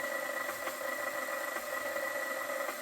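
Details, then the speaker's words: KitchenAid stand mixer that has never had a grease service, running before the regrease: a steady motor hum with a thin gear whine and faint, irregular light clicks from the gearbox; cause unclear. "Did you hear there's like little clicking?"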